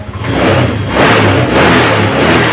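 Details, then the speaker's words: 2018 Honda Scoopy automatic scooter with a complaint of weak, sluggish pull: engine revs rise and fall cleanly with each throttle twist, with no stumble. Injection and ignition judged fine, and the fault is suspected in the CVT. "nah jika putaran grip gas itu sesuai dengan suara putaran mesin itu artinya kondisi di bagian injeksi ataupun Giant sistem pengapian itu oke"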